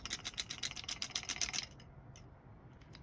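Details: Pisces Helium hotspot antenna shaken: about a dozen quick, bright rattling clicks then quiet; a loose part inside the antenna, which is broken internally and no longer receives.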